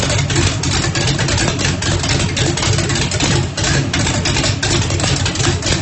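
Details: First start after rebuild, 1800 hp turbocharged small-block Chevy in Mustang, methanol fuel, Lil John's cam, primed with brake clean: loud choppy chop-chop cam lope, steady firing, no knocks; healthy.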